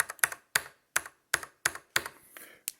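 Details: Mechanical keyboard key fitted with a single O-ring (rubber or silicone): sharp bright clacks, about two to three a second, still bottoming out hard; one O-ring gives insufficient damping.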